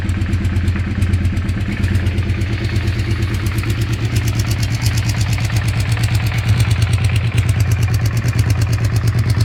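A steady low idle with a regular tapping about three times a second riding over it; an odd knock, source not pinned down.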